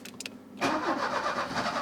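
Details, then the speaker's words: 1984 Opel Ascona 1.6S, fuel poured directly into the intake: quiet clicks then a brief rough burst that won't continue; crank no-start, fuel pump not delivering, pump or stuck float valve suspected. "oh yeah it's not pumping yet or at least it's not filling up the car yet"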